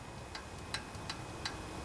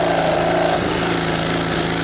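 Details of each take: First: Honda GC160 pressure washer engine found at a junkyard, clicking loudly from the upper end; pulled slowly by hand, sharp metallic ticks about three a second from the exhaust valve, suspected out of adjustment, to be checked with feeler gauge. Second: Junkyard Honda GC160 pressure washer engine, overfilled with oil and tipped over, smoking while burning off oil; now runs steady and even with no upper-end valve tick over the exhaust drone, then changes pitch.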